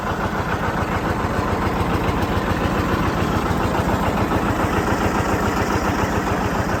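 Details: John Deere 730 two-cylinder tractor pulling a John Deere RWA disk in a field: a slow, even putt-putt at about three to four beats a second holding steady under load; normal running.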